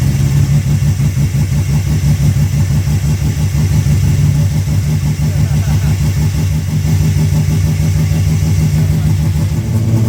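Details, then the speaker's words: Rebuilt Ecotec race car engine after a melted piston, first run: strong, even idle with crisp clean revs, no knocks or ticks; oil pressure above 60 psi idle, 80 revving, no overheating; healthy. "There is nothing wrong with that motor. She's sweet, she's running really good oil pressure, above 60 on idle, up to 80 when you rev it. She sounds sweet."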